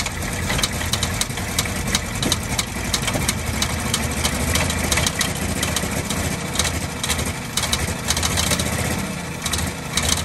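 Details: 1948 Ford F-5 ex-ice truck six, first run after about 45 years sitting, low compression suspected: rough idle with sharp irregular pops and ticks. Owner believes the number six lifter catches on its spring and pops back down, not a knock.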